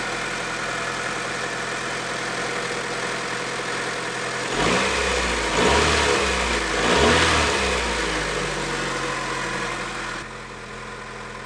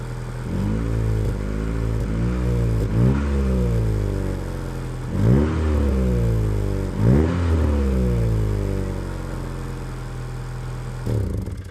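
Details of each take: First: Honda Integra DC2 B18 engine running for the first time in over 6 years, belts off: even idle with quick, smooth throttle blips; a slight exhaust leak is audible but there are no fuel leaks. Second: Honda Integra DC2 B18 petrol engine first start in over 6 years, new plugs and fuel filter: idling and blipped with raw, puffing exhaust note; exhaust leak, no fuel leaks.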